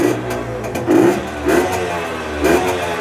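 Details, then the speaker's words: Tuned Herkules Prior K50 moped, 50S engine, 5-speed, original displacement, aluminium head, 4.5 to 7.6 hp, carburettor now fixed: clean quick revving blips, strong throttle response, no stumble; said to run best above 6000 rpm. Normal throttle response. "Maintenant, il est très attaché au gaz. On l'entend très bien."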